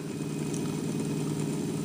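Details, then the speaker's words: Sony TC-252D stereo tape deck after fixing a metallic noise; constant low droning rumble, no knocks or scraping; owner suspects rubber wheel (rubber renew ordered) or the flipped fiber washer bedding in, unconfirmed. "still have some rumble in the uh deck it actually sounds more like a something out around now like a rubber wheel that's out around"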